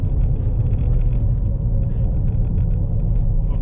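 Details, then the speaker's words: 2014 Chevrolet Impala at 70 km/h after the fix: a howl on one rear side was first blamed on a just-replaced wheel bearing but came from a missing bolt. Now a steady, even road rumble with no howl; normal road noise. "so we're hitting 70 clicks okay I think we're better"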